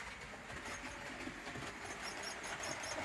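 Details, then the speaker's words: Model railway coaches rolling on the Shedley Wood layout: faint high-pitched squeaks over light rolling clatter; owner suspects brake blocks rubbing against the wheels, and it was later made quieter. "Oh, I think that noise is getting on my nerves now. So I'm going to change the coaches, I think."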